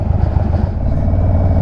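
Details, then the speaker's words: Indian V-twin with loud shorty slip-on exhaust and no jetting or remapping, after an exhaust leak was fixed with new gaskets: uneven low burble with irregular pops and crackles; popping from poor fuel mapping. "some people believe it or not think that all that popping sounds cool that just screams a poorly mapped motorcycle"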